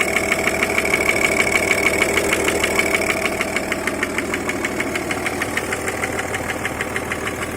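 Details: Audi A6 C5 2.5 TDI AFB diesel; sharp even ticking knock about three per second over idle, intermittent at idle but always present at higher rpm; cause unknown.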